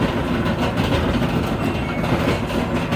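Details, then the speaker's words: LG dryer model DLGX7188WM: loud rapid rhythmic thumping from the tumbling drum, caused by worn drum rollers/roller bearings; fix is replacing the rollers. "it's a loud thumping noise coming from the drum and usually the problem is the rollers"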